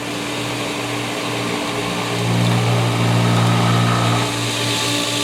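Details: Pool pump during pool opening regaining prime after the pool was opened: chlorinator shaking hard as air purges, steady motor hum with a rising, churning tone swelling mid-clip as the pump pulls water through and catches its prime.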